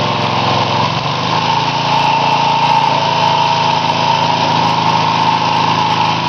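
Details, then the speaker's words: Homemade little tractor back running after a burnt-out transmission and slipping rear sprocket, smaller pulley fitted, out of commission for a while: even, steady generator-like drone, no knocks, misses or surges; normal running. "hear that menacing noise outside sounds like a generator not that menacing but anyway that's an old machine of mine that I made a enough videos of but it's been out of commission for a while"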